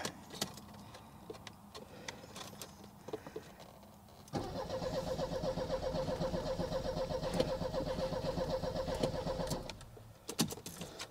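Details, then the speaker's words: Cheap old Mercedes-Benz, first start attempt: starter turns steadily about five seconds but never fires; no fuel pump sound heard and fuel distributor getting no fuel, so it needs a fuel pump. "I think we need a fuel pump well there is your air filter housing there's the problem Yep this little fuel distributor we're not getting fuel okay in or out so we need a fuel pump"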